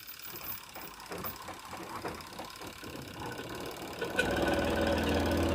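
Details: Sharp EST85CL top-load washer on spin: rhythmic thudding three or four times a second as the drum wobbles and knocks. Suspected worn plastic joint lining, weak springs, soft or torn tub seal, or uneven load.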